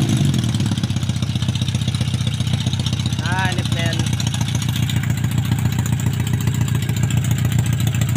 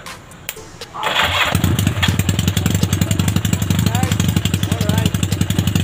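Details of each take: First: Yamaha Maxim XJ750 inline-four on its first run after rebuild, carb overhaul and ignition bypass, running open headers with no muffler: fast, slightly uneven lumpy idle, very thirsty with black exhaust smoke. Running rich; owner plans to refit the stock setup. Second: Yamaha Maxim XJ750 on its first engine run after rebuild, carb overhaul and ignition bypass wiring: catches after a brief crank and settles into a quick, steady exhaust patter with no knocks or misses. Normal running.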